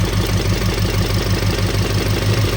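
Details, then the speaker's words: 1968 Chevelle wagon at idle: light, quick electrical-sounding tick on one side of the engine; owner suspects a spark plug that was dropped and not re-gapped, unconfirmed. "a ticking down here. Like an electrical tick. I'm hearing an electrical tick on this side."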